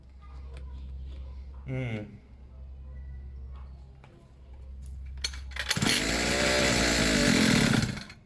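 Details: Two-stroke pit bike, fresh fuel, long unused, choke off, idle a bit weird: low uneven idle suddenly surges loud then drops away; erratic running with slipping choke.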